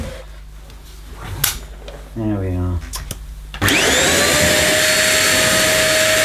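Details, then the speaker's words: One Concept Pila bagless vacuum cleaner running: rising whistle as the motor starts, settling into a steady high squeal over the airflow roar, squeaking continuously during operation. "what that noise was it it was squeaking something chronic welcome it I don't recommend this"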